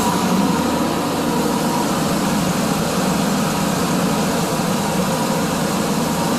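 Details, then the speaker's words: 1992 Ford F150 5.8L V8 after water pump replacement and coolant refill: smooth, even idle rumble at a steady pace with no ticks or misses, only drips from spilled coolant; runs really nice. "drips from where i spilled off the toilet but that she is almost fixed up runs really nice"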